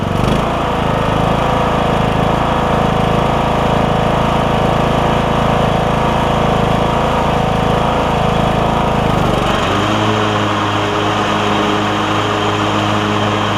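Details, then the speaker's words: Troy-Bilt Bronco lawn tractor after new drive and deck belts and deck repair, running on concrete with deck engaged: steady even engine speed with deck whir, no scraping or squealing; deck about half as loud as before. "I've tried it on all five levels and engaging and disengaging and it's a it's just a tiny bit slow to pick up on level one but that's pretty common with these machines"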